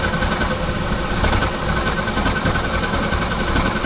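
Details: Carlin oil burner blowing black soot, after a coupling change (a longer coupling may be needed): a steady low roar with an uneven, rough fire underneath. It still runs rough, and pump pressure is to be checked next.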